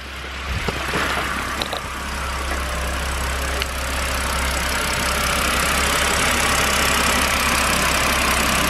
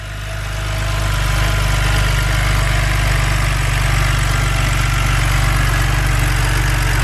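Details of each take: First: BMW N52 engine after long rough idle with revs jumping, following a final fix: even steady idle, low drone, regular pulse about four per second, no hunting; engine idling normally. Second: BMW N52 engine: uneven, loping rough idle under steady drone; ignition coils and plugs reseated with no change.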